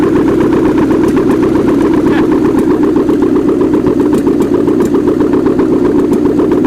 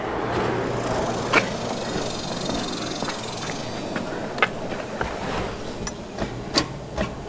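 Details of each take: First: 1979 GMC Heavy-Half with a scrapped 350 small-block V8 with new heads, coolant not hooked up; a smooth, even idle pulsing about four beats a second with no miss or knock; normal idle. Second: 1979 GMC Heavy-Half with salvaged 350 engine, starter just reinstalled: sharp single clicks about twice a second with no cranking; power reaches the starter, owner suspects a bad starter or wiring, unconfirmed.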